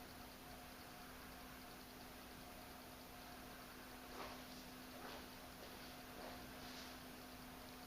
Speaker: kind of like a low pitched I'm not going to say grinding noise. It's kind of a type noise. So when I take the bulb off, the noise goes away.